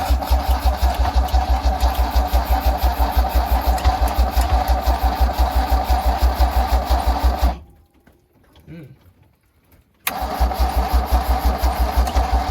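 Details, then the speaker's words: 1974 Nissan Caball 2-tonne truck with Holden 179: even starter churning at about three beats a second, a pause, then more cranking, never catching. Cranks but won't start. "Alright, nothing yet. We'll keep working on it. Alright, so we just checked this for spark. We've got spark."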